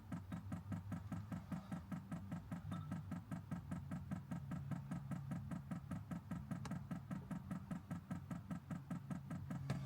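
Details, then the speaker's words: 5 kW Chinese diesel heater newly installed in a VW Caddy and powered by a Jackery 1000 v2, first start: the dosing pump ticks evenly about two and a half times a second while priming, with air still in the fuel line. "Oh. That's it priming. You can hear the little ticking. Looking good so far."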